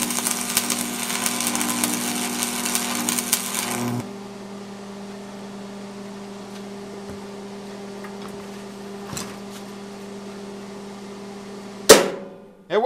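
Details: Lincoln Tombstone 225 AC buzz box stick welder: a few seconds of loud crackling sizzle over a steady mains hum, then only the hum. It strikes and holds a normal welding arc.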